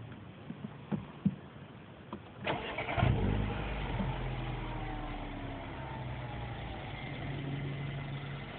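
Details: MINI Cooper S with under 2,000 miles: engine cranks and catches, then idles with a faint steady whine and slowly falling tone over the exhaust burble; cause of the whining unknown.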